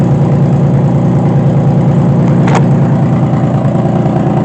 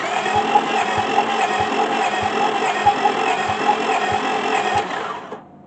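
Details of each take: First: 2005 Honda Pilot after timing belt work and oiling the cylinders for compression: engine catches and settles into an even, steady low hum with no stumbling or knocks, heavy smoke from the oil; running normally after repair. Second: 2005 Honda Pilot, timing belt repeatedly refitted, compression test on one cylinder at about 20 psi, then oil added: slow even cranking with a soft thump about every half second, no firing; reads 40, later 140 with more oil; low compression.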